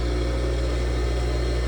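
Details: Auction-bought electric water pump after repair, temporarily wired and run on a 220/240 V welder outlet; strong steady mains hum with an even whir over it, no hesitation or rattle; the pump motor runs freely.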